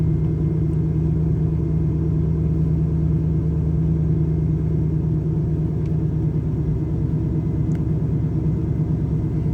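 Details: Camaro IROC-Z, warm engine: deep V8 idle with uneven loping beat around three per second that wavers; rough idle with stalling when warm.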